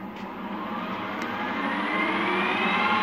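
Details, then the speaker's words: Refurbished Harrison M250 lathe, little used: a smooth whir rising evenly in pitch as the spindle spins up, with no knocks, rattles or strange noises; normal healthy running. "Absolutely stunning condition. This lathe has hardly done any work. It's in fantastic condition, and you can tell that because you can hear it run."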